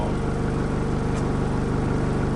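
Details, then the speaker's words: Rebuilt diesel truck just started after 8–9 weeks of work: deep even chug at idle, steady low pulse, no knocks or misses, quite grunty; normal idle. "From here and there, it's quite grunty, but I don't think it's going to be like yours."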